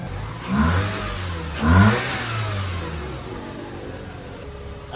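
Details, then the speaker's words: Series 2 Mazda RX-8 rotary rebuilt for low compression, first start after assembly with new coolant, started right up; two clean rev blips settle to even idle; normal revving. "I'm gonna go ahead and crank it. Started right up. That's insane."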